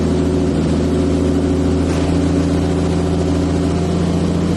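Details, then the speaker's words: Turbo M50 BMW E30 after a new crank sensor, first start in a long time: engine hums but the note surges and won't settle, then it stalls and won't restart; rough running, cause unknown, crank sensor suspected. "This thing does not sound happy. I don't know why it's surging so bad."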